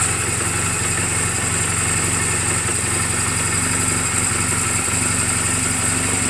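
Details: 2007 Honda Rebel 250 idling in neutral just after an oil change and valve clearance adjustment; even, steady putter with no ticking or misses. Mechanically sound, only cosmetic flaws; charging reads 13.2–13.4 V while running. Normal healthy idle.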